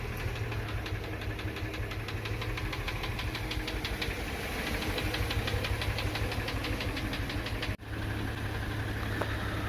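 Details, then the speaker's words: 3.0 L Subaru Tribeca engine at idle: steady metallic tapping, about three knocks a second, cause unclear (possibly bearing wear); knock faded after 15 minutes of hydrogen cleaning and nearly gone after 2 hours. "Чистим Subaru Tribeca. Появился какой-то стук."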